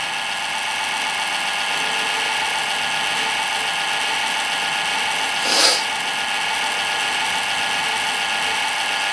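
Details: Rear case fan in an old eMachines Windows XP PC at power-on: steady high-pitched whir with a rough buzzing edge and one brief swish midway; worn fan bearings.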